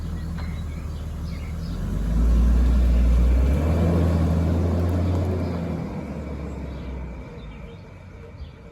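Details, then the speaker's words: 2001 BMW E46 320Ci coupe six-cylinder, 45,600 miles, running after its first start in about 11 months with the battery refitted: an even, steady low hum that rises slightly then settles, with no knocks or misses; everything is working fine. "Sounds good, doesn't it? As you can see, it's only done 45,600 miles. And everything's working fine."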